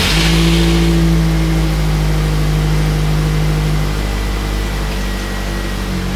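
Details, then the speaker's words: Nissan 240SX (S13/180SX) petrol engine starting immediately and idling smoothly and evenly after a new Walbro 255 fuel pump, insulator and secured hose with new clamps fixed fuel starvation causing boost breakup and misfire. "So, already you can hear the car started immediately and it's running way better. Uh, I think this may have solved our issue."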